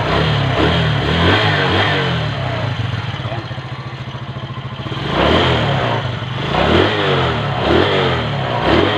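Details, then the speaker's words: Kawasaki Fury 125 motorcycle, carburetor cleaned, after replacing a burnt spark plug that stopped it starting following rain: engine runs steadily and revs cleanly with no misfire. "Umandar na siya mga boss. It pa lang sira niya mga boss. Vlog nasunog na pala kaya ayaw umandar."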